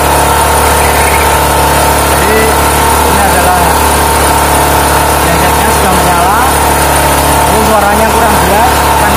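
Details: Small generator converted to run on 3 kg LPG gas with a membrane regulator, started on choke: a steady, even engine drone that holds its pitch, with no hunting or misfire. Normal smooth running.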